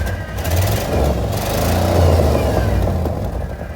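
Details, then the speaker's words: Old Rolls-Royce, started with a jump pack: rough idle with a rapid uneven puffing tick; suspected exhaust blow, probably at the manifold, possibly several leaks. "It's definitely got an exhaust blow, hasn't it? Sounds like it's probably on the manifold."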